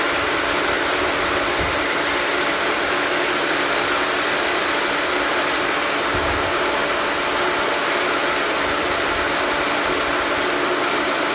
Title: Pump doing loud noise